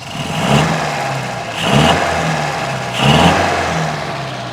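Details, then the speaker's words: 1952 MG TD with timing at about 7 degrees initial, 29 total: three quick throttle blips rise cleanly and settle to idle, no misfire or rattle, running well; idle to be set around 850–900 rpm. "that sounds pretty good we'll take that for now"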